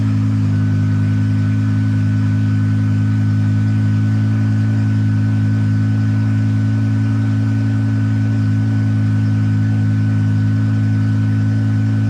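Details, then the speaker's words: BMW E60/E63 M5/M6 after the SMG pump replacement and an INPA bleed that found no fault: steady smooth engine drone with no knocks or misses. The SMG takes gear cleanly and the pump is working. "All right, well, our SMG pump's working and it goes into gear."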